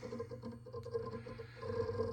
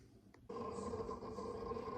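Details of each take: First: TerraMaster F2 NAS with 2 GB memory: steady hum with constant irregular rapid clicks and crunching, loud enough to hear in other rooms. Loud hard drive seek noise, also transmitted through the cabinet. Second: TerraMaster NAS after soundproofing the enclosure to cut its loud drive crunching: low hum with continuous soft crunching seek chatter, noticeably quieter than before.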